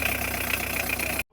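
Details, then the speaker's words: Hyundai H100 just after a broken timing belt was replaced and the timing set. Started before refitting the crankshaft pulley, radiator fan and belts, it catches and settles into a steady even idle with no knocking, running normally. "Ang galing! Ang galing! Alright yan. Okay. O yan, umandar."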